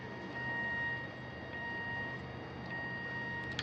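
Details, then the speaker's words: Astro-Physics Mach2 mount, right ascension axis after belt adjustment, slewing with a hand pushing against it: thin steady high whine, motor tone changes slightly under force but no rattle or vibration; drive healthy. "some i can hear the motor change the sound a little bit but i'm pushing against this"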